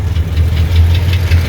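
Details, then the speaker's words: 1984 Chevy Caprice wagon, 305 V8 with Quadrajet carburetor and 700R4 transmission, about 121,000 original miles: deep, even V8 idle with a light, quick tick riding on top, roughly five per second; lifter tick. "it's got a little lifter tick on 305 but that's all right it's a good cruiser"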